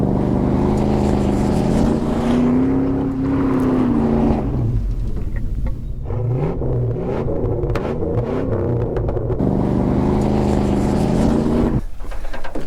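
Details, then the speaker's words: Ford XF Falcon ute, 351C V8, 4-speed Toploader, driving on a bypassed 12-volt feed: pulls cleanly under load with a smooth rising drone, no knocks or misses; healthy, though alternator and a suspected timing, spark or coil issue remain. "well there you go it does run does run pretty nice actually it sounds bloody mint"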